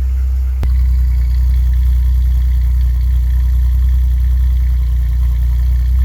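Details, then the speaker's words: 1989 Chevy Celebrity, 205,000 miles, started cold the next day after idle set-screw and vacuum leak work: catches and settles into a steady, even fast idle with no misses or clatter; normal cold-start high idle. "See if the cold start high idle goes up and comes down like it's supposed to."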